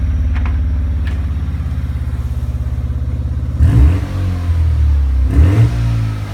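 Lumpy, pulsing idle with uneven beats that stumble between revs, the rhythm dropping out now and then; the rotary is misfiring.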